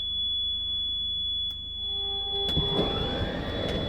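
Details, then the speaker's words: Class C RV motorhome switched on with stabilizers still lowered: steady high-pitched electronic warning beep telling the driver not to move; heard before putting the slide out during campsite setup. "And you hear that beeping because the stabilizers are down. So if the RV is on and the stabilizers are down, you'll hear that beep. That tells you don't move."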